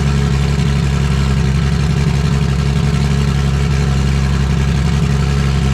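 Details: Vauxhall VXR project car at first start after engine install: loud, deep idle with an uneven, lumpy beat instead of a smooth hum; running rough because a turbo pipe was left off.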